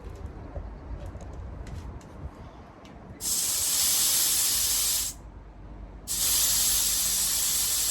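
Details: Peugeot 107 A/C being regassed with a DIY R134a kit, gauge reading off the scale: two loud sustained hissing bursts of about two seconds each as refrigerant is vented from the overcharged system.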